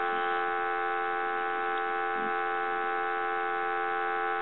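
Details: Western Electric Princess telephone after its network was serviced to fix weak receive: a steady, loud, even dial tone with no crackle or dropouts, and receiver volume now much stronger than before; normal dial tone.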